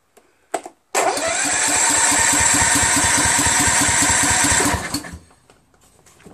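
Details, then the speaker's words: Husqvarna YTH21K46 mower, Kohler Courage 21 HP, new carburetor, magneto reinstalled, choke on: starter cranks evenly at about 3.5 pulses a second with no firing, fuel-starved. Owner suspects the fuel solenoid, since it only starts with carb spray. "plot thickens maybe it is the solenoid super odd man well at least we know the magneto is on correctly or is it it's obviously not getting any fuel"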